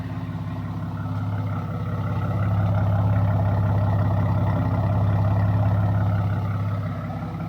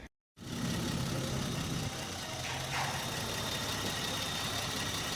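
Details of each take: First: Car after Megasquirt install, first highway run: deep, steady low exhaust rumble swelling slightly with throttle, droning far too loud. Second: Engine idling after a Megasquirt standalone ECU install: even, steady idle with a low hum and no misses, lumps or knocks; smooth and quiet, healthy idle.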